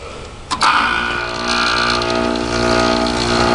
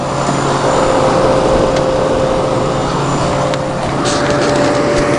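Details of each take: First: Air conditioner on R134a, switched on High Cool: click then steady hum with buzzy mechanical edge; worn-sounding compressor noise, like a worn Matsushita rotary, no worse than when acquired, not severe. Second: it's running nice and cold and you can hear how that how smooth that Tecumseh AE sounds compared to any sort of rotary compressor it just sounds great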